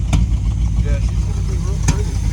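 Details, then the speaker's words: 1973 Dodge Vector RV with a rebuilt Mopar 440 big block, not yet warmed up: idling V8 with sharp pops through the carb about two seconds apart, getting progressively worse. Cause is a lean mixture from air screw settings out of spec; an exhaust leak is also suspected. "Yeah, we're popping a little bit. So, it starts popping and gets progressively worse."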